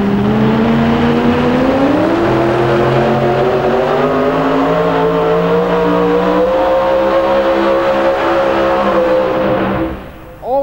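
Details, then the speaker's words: 1977 Chevy pulling truck with automatic transmission during a pull: hard-pulling engine climbs steadily for about ten seconds then suddenly drops off and fades; lost power at end, officials checking whether kill switch pulled. "lost power at the end now they will first thing they're going to do is check to see if the kill switch was pull"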